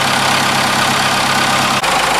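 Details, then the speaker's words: 4BT Cummins diesel after idle adjustment with the fuel pin maxed out: steady diesel clatter at an even idle with no misses; a little shaking and vibration, running healthy. "that sounds a little better there's a little more shakier but it sounds like a cummins yeah a little shaking here little vibrating"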